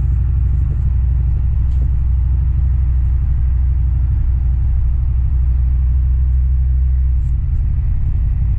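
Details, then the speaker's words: Ford 7.3 IDI diesel truck, previously stalling, after fuel filter change and injection pump cleaned with ATF: steady deep rumble under way, pulling without stumbling or cutting out; normal running after fix. "it runs great guys let me start it up and prove it to you"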